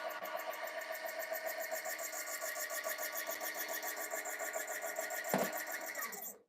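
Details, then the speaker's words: Breville Barista Express built-in grinder, about six years old: high whirring grind with uneven pulsing about three times a second before stopping; owner attributes the noise to the grinder getting old, not confirmed. "do you hear that s uh Noise Okay I mean this grinder is getting old by the way"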